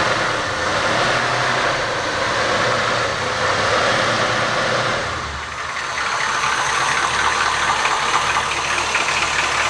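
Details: 1973 Cadillac V8 idling cold with a loose, uneven knock under the engine noise; owner says it is piston slap that disappears once warmed up, and the car runs like new when warm. Cause suspected, not confirmed.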